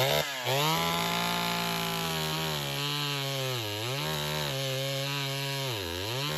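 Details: Chainsaw (113) with hard starting and rpm loss during cuts, carb metering lever adjustment tested; screams high, then pitch sags sharply twice under cut and recovers; bogging under load; dirty air filter with sawdust past it found; cause unconfirmed.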